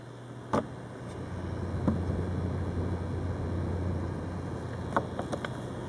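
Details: New Corsair H50 liquid cooler on a Phenom II X4 955, mic right next to the cooling block/pump: a constant low buzz with faint steady high tones and stray ticks. The cause is unclear, and the owner is considering an RMA as defective.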